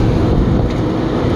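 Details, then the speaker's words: CaptiveAire restaurant exhaust fan after motor replacement, VFD set to medium speed: steady, even rush of air with low hum, no scraping or knocking, slinging off collected grease; running normally. "got some air movement again slinging a lot of grease off that collected on it the day that it wasn't running it feels good"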